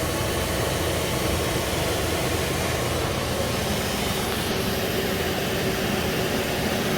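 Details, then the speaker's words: Engine idling after 2 quarts of oil added to nearly full: steady idle under hiss and fan noise, no tapping or knocking; oil pressure around 80, sounds healthy. "See, I mean, it doesn't make any tapping sounds or anything, so I'm not concerned."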